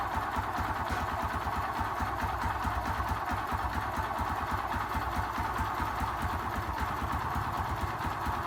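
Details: Honda XRM 125 FI motorcycle at steady single-cylinder idle: light knocks about two per second; owner asking where the engine noise comes from, cause unknown.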